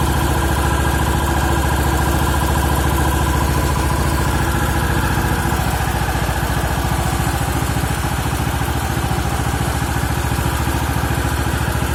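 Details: Champion G390HK single-cylinder engine, first run after overhaul replacing crankshaft, connecting rod and piston rings: steady, even beat at fast idle with no knocks or rattles; running smooth and healthy.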